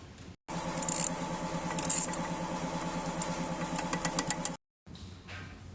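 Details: Hyundai Sonata engine at idle: sharp metallic knock about three times a second over the engine, connecting-rod knock from a rod bearing that is almost worn through.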